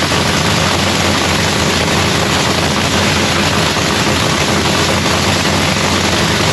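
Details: Lexus race car at first start of the season in shop paint booth; loud, hard-edged race engine holds a steady, even idle with no stumbling or misfire; sounds healthy, normal idle.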